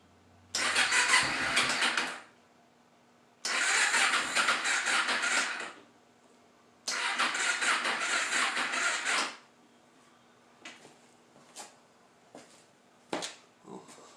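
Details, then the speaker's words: 2011 Kawasaki Ninja 250, battery charger reading full: three short two-second cranking bursts without starting, cranking drains the weak battery; jump pack tried next. "it's draining that battery pretty good let's see if a jump pack will work"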